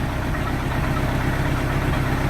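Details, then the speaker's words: 1986 Sea Ray inboard engine during restoration: even, steady low idle with a regular firing beat, no misses or stumbles; smooth, no shaking, night and day from before. "smooth it's not shaken vote the voters were taken they don't feel like it's going to rock off the off the motor mount"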